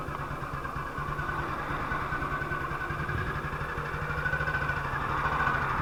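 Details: 1958 BSA C12 single-cylinder on a road test after a misfire fix; the misfire had earlier caused a breakdown, and the battery tested fine at 6.3 V. Steady, unbroken beat at fast idle to light cruise with no missed firing. Sounds like it used to: normal running.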